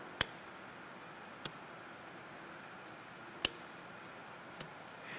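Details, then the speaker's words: 2021 Ford Mustang Mach-E GT high-voltage battery contactor energized with 12 V supply and ground: four crisp, sharp clicks a second or two apart; contactor snapping in and out normally. "nous lui donnons une masse de 12 volts écoutez le clic ces contacteurs peuvent être assez bruyants ici nous allons"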